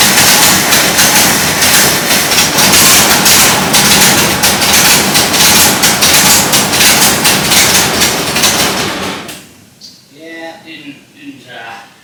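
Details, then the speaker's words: Full-size Jeep carbureted engine on first start, electric choke possibly not working, fuel poured in: runs loud and ragged with uneven beats, then dies abruptly after about nine seconds; stuck carburetor needle and seat found. "Didn't go so well, but it was running, and I think it was pulling from the tank, and you know, it does have an electric choke."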